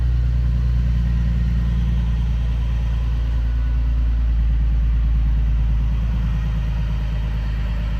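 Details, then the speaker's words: Infiniti G37 / 370Z 3.7 L V6 over 100,000 miles, timing problem from neglected oil changes, after repair now starts but runs poorly; deep uneven lumpy idle, owner believes it needs a new engine. "so mine starts now but it runs poorly so it needs a new engine"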